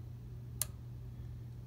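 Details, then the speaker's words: PLC relay output 4 switching a light bulb, toggled by a blinking status bit: one sharp mechanical click over a low steady hum as the internal relay coil energizes and the armature opens and closes; normal operation. "you can hear the click the click is that contact in there between the V that last V AC V DC common terminal and output for it's literally a little block relay in there that is energizing its coil and the armature is opening and closing and that's what the click noise has"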